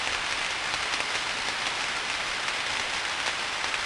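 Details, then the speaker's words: Steady frying hiss with irregular sharp pops on a 34,000-volt switch, recorded with ultrasound; audible popping indicates tracking discharge, which should not be there. "you can hear the popping right can you see the popping you haven't seen it all right so maybe we're just not quite set up right audibly there's something wrong with this 34 000 volt switch isn't there it should not have them popped"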